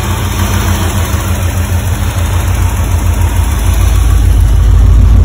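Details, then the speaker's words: 1985 Porsche 928S V8 running after fuel pump and filter replacement and a quart of oil topped up, having sat over the winter. Steady, even low rumble with a slight swell and no knocks or misses: normal idle. "Well, we're running. Risky business lives."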